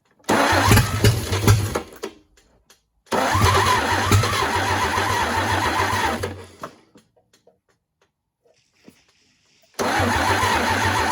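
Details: GMC 270 inline six, first start in 20+ years, after adjusting the distributor timing: catches and runs in short bursts with an even, steady beat and no knocks or ticks. Oil pressure confirmed. Sounds healthy but won't stay running long.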